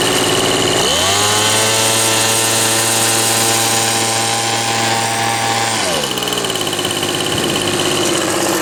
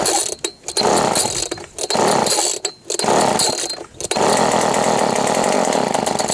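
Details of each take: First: Old Ryobi RSV 3100e two-stroke leaf blower, after three spark plugs, carburettor adjustment and four carb membrane changes: revs up cleanly and holds a steady, even high drone before dropping back; running normally. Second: Old Ryobi RSV 3100e leaf blower, first start: loud, raspy two-stroke buzz revving in uneven bursts with a harsh open edge; muffler not refitted properly and leaking.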